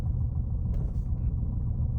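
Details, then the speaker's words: 2016 Ford Fusion 2.5 while being driven: low, uneven idle rumble that wavers and lumps, car shaking, surging felt beforehand, power steering lost; owner suspects a failing throttle body not controlling idle, and shuts the car off hoping it relearns. "You can hear it and see it. So by shutting the car off, it's supposed to relearn the throttle body."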